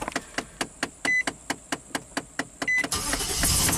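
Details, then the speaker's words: 2005 Nissan Armada V8, after repairing the connection to the engine causing no-crank post power-wash: strong, even cranking about two beats a second, no dragging or clicking, then fires; only 30 mV voltage drop, no more weird gauges; starter circuit healthy. "oh yeah 100 no more weird gauges that cranked so nice"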